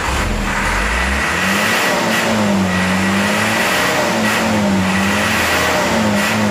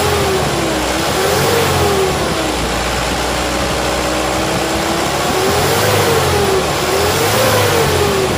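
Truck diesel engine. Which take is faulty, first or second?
first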